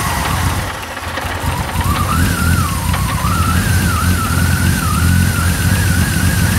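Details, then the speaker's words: BMW E30 with turbocharged M52 after winter repairs, loose hose reattached: engine catches and settles into a steady low rumble with a wandering whistle above it; runs evenly and nicely now. "Sounds better. It starts running Yeah it does."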